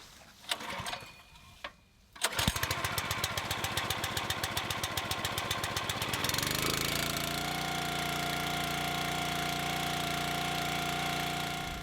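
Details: Log splitter, left outside through all weather and unused for about three months, choke and fuel on: two cord pulls, then catches, settles into even firing and runs steady with a clean higher drone; starts and runs fine.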